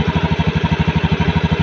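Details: Honda Scoopy (ACG starter) scooter after cleaning the rusted side-stand switch that caused weak starting: steady even idle, smooth low pulse about ten beats a second, no misses or clatter; healthy.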